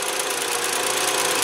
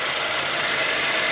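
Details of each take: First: 2007 Jetta 2.5 20v, idling at 680–690 rpm with coolant at 75 °C: fast light ticking from the canister purge valve, whose hose is felt pulsing; such valves on VW often fail when the fuel tank is overfilled. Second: 2007 Jetta 2.5 20v idling after new fuel filter with integrated 4-bar regulator, radiator flush additive and power steering fluid change: steady, even, calm idle with no misses or surges; normal, throttle body not yet cleaned.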